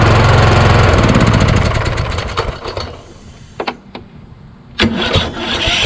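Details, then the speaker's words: Craftsman YS4500 lawn tractor with Kohler Courage, starter double-shimmed, about 36°F: engine winds down, then isolated starter clicks and short cranking bursts stalling; owner suspects starter hangs at compression stroke regardless of mounting height. "there we go again that's that compression stroke [Music] once you keep clicking it it'll go past the compression stroke and sit right there it stop it won't move anymore"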